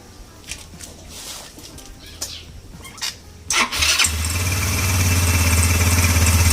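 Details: Yamaha Ego LC scooter engine cranked and running smoothly with no rattle during a check of where a loud noise comes from; engine itself fine, noise traced to the CVT.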